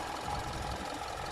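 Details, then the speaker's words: Hyundai Tucson (2016–2020) used-car inspection, hood open at idle: steady, even hum with no tick or knock; engine sounds smooth and normal. "in this case although um with the audio it could sound like there's something weird the engine sounds very smooth and normal"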